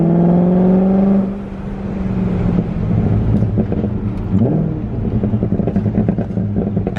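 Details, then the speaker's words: BMW E34 540i V8 driving on the road after a new ZF transmission replaced one that whined badly: no gear whine, just smooth V8 exhaust note with popping burbles and some backfiring; gearbox healthy. "all right we're out driving if you hear that no wine just beautiful v8 exhaust note and a little bit of backfiring"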